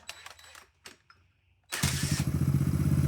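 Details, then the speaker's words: Honda Z50-style Dixie mini bike with freshly installed engine, carburetor and CDI/regulator wiring; after handling clatter it fires at once without choke and settles into a quick, even putter, a normal start and idle. "Oh, holy Look at that run. I didn't even use the choke. No way."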